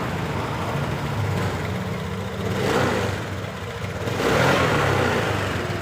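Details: Honda Beat LED Deluxe scooter that was dying, with a stored code 7 history. After clearing the DTCs the engine idles and rises smoothly through two blips with no sputter or hesitation; running normally again.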